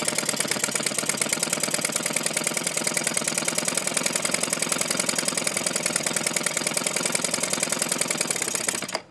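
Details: Small two-stroke with barrel carburetor after quarter-turn mixture screw adjustments: harsh buzzy choppy uneven firing that cuts out; running rough, fuel mixture suspected, carb to be cleaned, spark arrestor screen suspect next.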